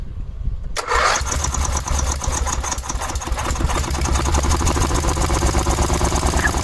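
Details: 1986/1987 Cub Cadet 1106 riding tractor, sat over 4 years, first start: catches after short crank, runs briefly then sputters roughly with ragged beat; owner smells very old rank fuel, suspects stale fuel; throttle also stopped working.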